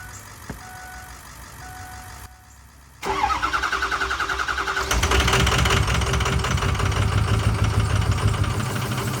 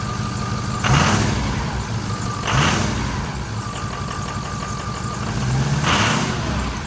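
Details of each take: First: 2006 Ford F350 6.0L Power Stroke diesel, parked 2 years, after new fuel pump and sending unit: cranks, catches, then uneven lumpy clatter that surges; rough running, owner suspects air bubble/vapor lock in fuel system. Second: 2006 Ford F350 6.0L Power Stroke diesel after new Motorcraft fuel pump, sending unit and air purge from fuel system (previously no power): steady even idle with smooth low clatter and faint chime; now sounds completely different and good.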